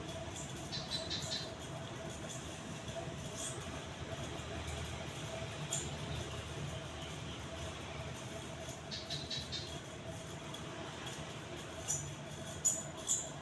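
Soft steady motor hum with a faint constant tone and only occasional light ticks, runs smoothly; fan sounds healthy.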